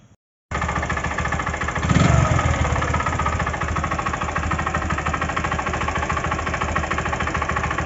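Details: Bajaj Platina 100 motorcycle engine at idle with a rough, knocking rumble from a worn camshaft bearing, before camshaft bearing replacement.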